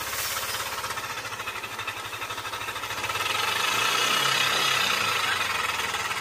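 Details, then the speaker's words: Yamaha Aerox 155 VVA scooter engine before repair: harsh clattery running with a fast steady tapping of about three per second, most likely caused by a worn camshaft bearing; worn camshaft bearing. "karena motor robot ini seperti mendengar di awal video tadi elemen suara mesin itu sangat kasar dan berisik sekali ya turun dan kemungkinan besar atau penyebab utamanya itu ada pada bagian bearing noken as-nya ya"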